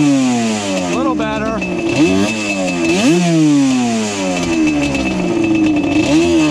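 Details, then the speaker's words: Yamaha Banshee two-stroke twin; carb air screw set to 1 turn, possibly a fake carb, both pipes hot. Revs flare then sag and stumble as throttle opens, not pulling cleanly off idle; bog, cause not yet found. "understand that right there. We definitely have an issue going on here."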